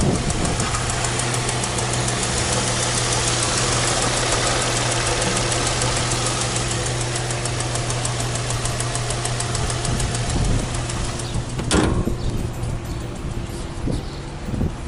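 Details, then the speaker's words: Infiniti G35 with about 220,000 miles idling; a fast, light, uneven tick roughly twice a second rides over a steady idle hum; the owner says the tick quiets down once warm and that it is a common problem online; cause unconfirmed. "Okay, so as you guys can hear, it has a ticking problem. So like it quiets down like once it's like warm."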